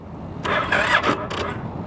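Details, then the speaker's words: Crashed car at auction, in neutral: a few short, feeble starter bursts and it never fires; the battery seems dead, and a jump start is suggested. "come on yeah she's dead she's dead dead that's all right we'll go ahead and shut her down I could jump start it"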